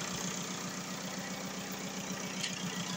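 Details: VW Golf 4 diesel after repair of a crank-no-start fault (injection pump errors: low delivery, open circuit); charging confirmed at 14.4 V. Steady, even idle clatter with a soft regular pulse and no misses or knocks. Healthy idle.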